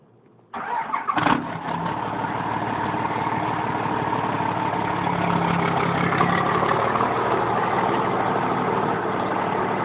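Engine cranks and catches, then settles to an uneven idle with a lumpy, stumbling beat; sounds like a misfire. Cause suspected, not confirmed.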